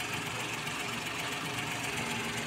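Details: Suzuki Wagon DA64 turbo engine running after the turbo was refitted to cure a turbo problem: smooth, even idle with a steady hum, no whistle, rattle or knock; healthy.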